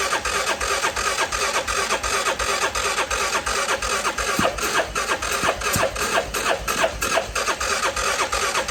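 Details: CF Moto Moose Tracker 500 ATV that sat about 3 years, choke held, battery pack on: starter cranks evenly, about three compression beats a second, never fires; crank no-start, carburetor later found gummed and plugged.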